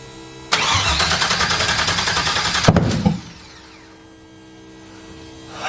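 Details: Audi TT MK1 with a swapped LS on a standalone harness, first start: it catches and runs very loudly for about two seconds, then cuts dead. It will run, but the immobilizer must be disabled.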